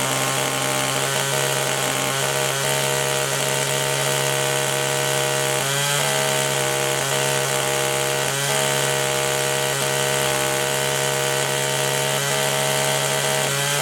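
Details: Echo two-stroke held at full throttle (same carburetor as the HC-152 hedge trimmer) while the high-speed mixture screw is turned: a loud buzz whose revs drop as the screw goes clockwise, then recover. Shows the rpm change during adjustment.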